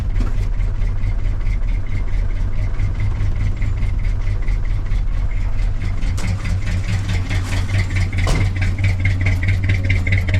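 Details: Wrecked 1974 Ford F100 parked for years, preliminary run before oil change: loping idle around two beats a second with stumbles, halfway idles; owner says it needs a severe tune-up, probably plugs, compression and valve train unknown.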